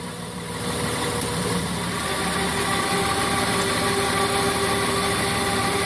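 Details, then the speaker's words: 2003 Honda Odyssey at about 200,000 miles with its second transmission rebuild (first at 140,000), idling: a steady mid-pitched whine in Reverse and Drive but not Park or Neutral. Shifts fine, noise since January 2016, and solenoids and screens checked clean except the one near the starter. "I'm just getting this winding noise"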